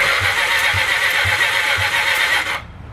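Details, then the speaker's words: 1980 Honda CB750F Super Sport ex-drag bike cranking during a finger compression check: slow thumps about four a second for 2.5 s. It is blowing his finger off a little and the cylinder is dirty; compression feels weak and uneven. "it's blowing my finger off a little bit. So it's kind of dirty, but try every cylinder here if I get my hand in here."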